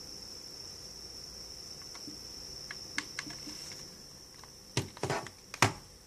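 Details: Steady thin high-pitched electronic whine/humming from an Xbox One console while playing digital games, unchanging throughout, with a few taps near the end.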